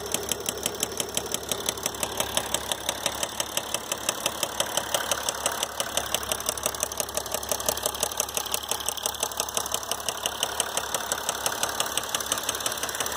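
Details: 2012 Mercedes GL350 diesel at 125k miles: sharp, very regular metallic knocking over the idle with a steady beat; a failed rod bearing, engine needing rebuild or replacement.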